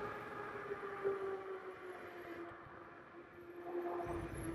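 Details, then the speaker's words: HAOQI Antelope Pro 750W e-bike on a first ride, braking downhill with mechanical disc brakes: a thin steady squeal over rolling and wind noise; the disc brakes are a little squeaky. "the brakes are okay coming down the hill a little squeaky it does have mechanical disc brakes which would have love to see hydraulic just brakes on this"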